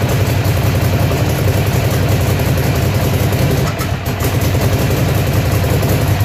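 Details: Ducati Monster (696/795/796/1100) V-twin at idle: uneven loping beat with irregular beats and a brief stumble instead of a clean steady thump; misfire at idle, cause not yet pinned down.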